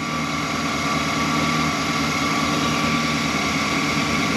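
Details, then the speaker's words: 2015 Chevy Express van after bank 2 injector misfire: pushing in a fuse restored power on both sides; steady even idle hum with no stumbles or dropouts, engine running smoothly on all cylinders. "and Power on the other and the car is running all right"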